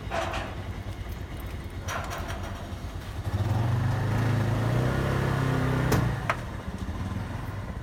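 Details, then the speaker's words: 1992 Honda Accord CB7 four-cylinder, ignition disconnected, cylinder 1 dry compression test cranked about four revolutions: even starter crank about three chugs a second, steady unbroken rhythm; gauge reads about 180 psi, good compression (below 150 indicates trouble). "Okay, you can see, yes, the value here is around 180 psi. Yes, this value is good. Good engine will have this value."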